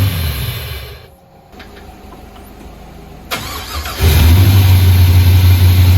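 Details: 2004 Pontiac GTO with built HCI 6.0 V8, first start, very little fuel, untuned, MAF untuned, after earlier backfiring attempt; brief crank then catches into steady even idle about 1100 rpm, no misses; normal start and idle.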